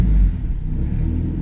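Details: Big-turbo Audi A4 B7 idling after drive-by-wire installation and calibration, water temperature about 80: deep even low rumble with no misses, knocks or ticks; smooth healthy idle.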